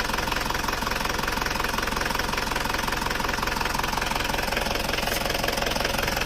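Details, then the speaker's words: Isuzu Panther diesel from Kras Kediri that the owner says runs rougher than before, at idle: a steady metallic tek-tek ticking about three per second. Piston slap, with pistons worn beyond standard rocking sideways against the cylinder walls. "ini kondisi seker atau piston saat mesin itu sudah mulai bunyi tek tek tek tek tek tek tek tek tek tek tek hal itu disebabkan oleh benturan antara piston dan dinding silinder"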